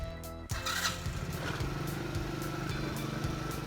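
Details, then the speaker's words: Engine starts on a new battery and immediately runs a fast, busy idle that never drops back; it wants to take off, so the idle may need turning down. Kill switch wiring is loose. "It may need to be adjusted a little. It wants to take off immediately. So I may have to turn the idle down."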